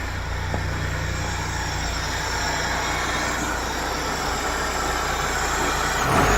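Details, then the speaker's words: 1996 BMW E36 318ti with supercharged M44 engine, runs and drives great: engine revs up cleanly with even pitch, no knocks or ticks, doesn't smoke, supercharger sounds nice; healthy. "Doesn't smoke. Looks good. Supercharger sounds nice."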